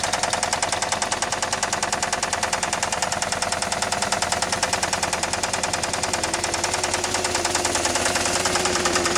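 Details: 1999 Saturn SL2 1.9L twin cam that starts every time but smokes: hard, sharp metallic knock about three times a second, steady and regular over the running engine. Rod knock.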